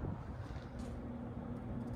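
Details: 52-inch Hunter Sea Air ceiling fan running: low steady hum with a faint tone near 250 Hz, no audible bearing hiss or grinding though bearings are thought slightly dry and the fan wobbles a little.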